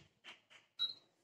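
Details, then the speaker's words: Usha induction cooker with a non-stick pan whose base is not induction-compatible: quiet room, then a single short high beep, the hob rejecting the pan as not detected. "आपको सुनाई दे रहा होगा कि आवाज तरह दीपिका ह है इसका मतलब यह वर्क नहीं कर यह पैन इंडक्शन पर वक्त नहीं कर रहा है"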